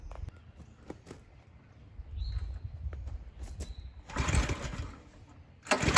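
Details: New DR Pro XL dual rotating tine rototiller, freshly filled with gas and oil. Repeated pull-start attempts give short bursts that never catch, for about 20 minutes. The spring was touching the kill tab and grounding the ignition, causing the no-start.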